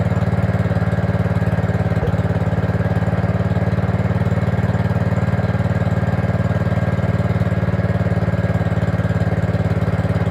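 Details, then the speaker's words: Gravely 5665 fitted with a China replacement carburetor (after a 15hp carb was tried), air cleaner on: steady, slightly hunting single-cylinder beat at fast idle, only holding on choke; owner suspects air leaking past the loose throttle arm/shaft, running lean. "oh plus side is it's running um downside is I can't get it to run without choke on and the only thing I can think of right now is as you can see there's definitely some play in that throttle arm which might be the reason it's might be sucking air in"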